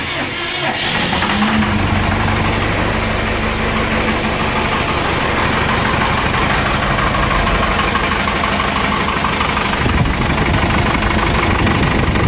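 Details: 1996 Vermeer SC1102 stump grinder, 3.9L Cummins 4BT turbo diesel, low power and breather blow-by: loud, lumpy idle with a recurring dropped pulse; number four cylinder running cold (90° vs ~125–150°), mechanical damage, low compression.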